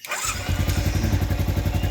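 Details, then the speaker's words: Yamaha Jupiter MX 135 that stuttered badly on low throttle, lacked power and used much fuel, after replacing the CDI unit and its rubber mount: even, steady single-cylinder idle with no misses; idle normal. "Sudah nyala ya motor sudah kita nyalakan. Untuk stasioner atau langsam sangat normal sekali."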